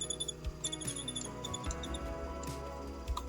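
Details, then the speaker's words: Penn Slammer IV 6500 spinning reel, factory original and never opened: short high-pitched squeaks come and go as the reel turns, likely a dry one-way bearing needing cleaning and lubrication. "kemungkinan di bagian one way-nya ini yang udah kering, minta dibersihkan, dan kita kasih pelumas di bagian one way-nya."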